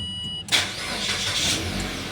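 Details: Mitsubishi Xpander after a no-crank, no-start fault was fixed (a loose wiring socket cut supply to the relay): brief chime, then a quick crank that catches at once and settles into an even idle; a clean, healthy start.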